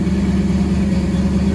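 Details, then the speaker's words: 1974 Ford F100 V8 with Holley Sniper EFI, after fixing a crimped fuel return hose that built back pressure and stalled it after a minute or two. Smooth, even idle with a steady low beat, no stumbles, running like a sewing machine; normal idle. "sound like it run like a sewing machine right now. That's what it That is what it's supposed to do."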